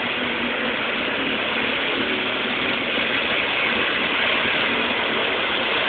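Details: Vibratory compactor at construction site beside apartment building: steady dense mechanical rattle and clatter at even level, shaking the building; compactor running continuously.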